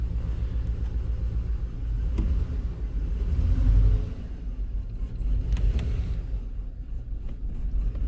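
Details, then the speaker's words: Cadillac Escalade 6.0L LQ9 V8 with P0300 idling: deep uneven stumbling rumble, misfires on cylinders 2 and 6; plugs and wires didn't fix it. "you hear it runs like absolute dog crap"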